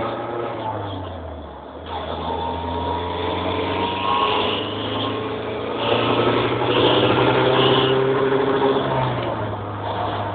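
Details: Redtop SR20DET with turbo: thin rising chirp and rough grinding edge following the revs as boost builds under load; owner suspects a loose turbo exhaust wheel or bad wastegate flap, doubts a manifold leak; unconfirmed.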